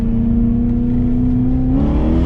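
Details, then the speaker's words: BMW E34 540i, M60B40 V8, after fixing throttle body gasket vacuum leak that caused lambda codes and limp mode: hard, smoothly climbing pull under full load, no stumble or hesitation; normal acceleration. "But let me just say, spinning, I bet this car will spin second right now."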